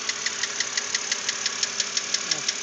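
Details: 2006 BMW Z4 3.0si at idle: sharp, evenly spaced metallic ticking about six per second, steady over a quiet idle hiss. The lifters were already replaced with no change.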